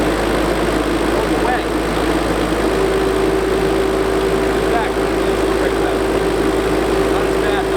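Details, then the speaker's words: JCB Midi CX backhoe diesel with a stalling problem, at startup: steady mid-pitched howl from the hydraulic pump at idle, with something odd happening when the brake is pressed; cause unknown. "What you're going to hear is when I start it up, you're going to hear that howling noise of the pump, and watch what happens when I step on the brake."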